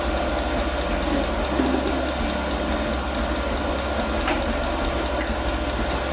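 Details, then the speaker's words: Newly mounted portable all-in-one diesel air heater, first start at maximum power, about 40 seconds in: steady low hum with faint dosing pump ticks. Fuel is being pumped, but the heater never fires, and a shutdown cycle follows. "Sono passati 40 secondi, si sente il rumore della pompa che ticchetta. Sentite? Tac tac."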